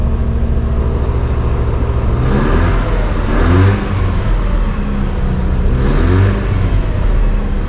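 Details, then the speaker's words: Car from a collection, last driven about 2 months ago: steady low engine note rising and falling smoothly through a couple of blips, no knocks or rattles; normal running and revving, runs great. "every time I start it up uh it seems to run just great"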